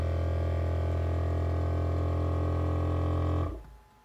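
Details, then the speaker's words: 12-volt Thomas-type vacuum pump for electric car power brakes, hard-mounted before homemade rubber vibration isolators; loud steady low droning buzz with fast regular pulse, then winds down; vibration noise from missing isolators. "so let's go put these in and see how well they work here's the pump noise without the vibration isolators"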